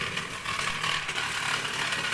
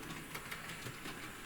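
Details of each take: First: Model locomotive (Bonaccord) crossing track points at speed: a harsh, uneven scraping grind over the running hum. The owner thinks the tender derailed, and it got worse at the next point. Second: Model locomotive (Bonaccord) taken much slower over the same track points where its tender had derailed: quiet, light clicking over the rail joints with no thumps or stalls. It runs smoothly at low speed.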